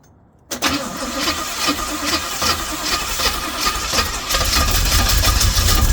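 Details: Pink Jeep after distributor timing was advanced: silence, then the engine catches at once and settles into a fairly steady idle that firms up after a few seconds; antifreeze leaking from a bad gasket.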